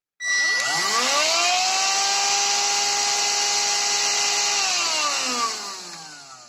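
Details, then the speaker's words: Redmond RV-UR363 vacuum cleaner, used without its filter so debris entered the motor, after the main dirt was cleaned out: motor spins up to a steady, even high whine with airy hiss and winds down smoothly, now running evenly. "Ну вот основной грязюку я вытащил послушайте теперь как он работает Ровно"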